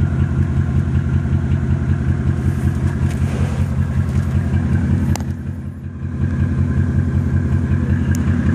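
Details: Mercedes E300 OM606 diesel with an uneven, lumpy idle pulsing near two and a half per second, plus an occasional heavier random knock. Motor mounts are bad and due for replacement; a leaky injector is suspected for the knock.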